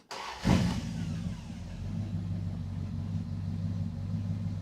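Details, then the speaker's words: Crew Cab Charger engine, start: cranks and catches, lifter ticks two to three times right after start, then settles to an even low idle; lifter slow to pump up, owner suspects a plugged oil gallery. "That lifter knocked for a second, but now it's fine. It definitely knocked. I heard it tick two to three times, which honestly tells me that an oil gallery might be plugged up."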